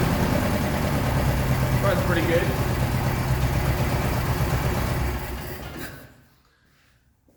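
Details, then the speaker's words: 1976 BMW 2002 with Weber carbs, big camshaft, long tube headers and ANSA exhaust, running after 22 years: deep, even idle beat about three pulses a second, steady; after fixing points gap, checking dwell and changing coil, runs about as good as it will get. "runs pretty good at least that's probably about as good as was going to get"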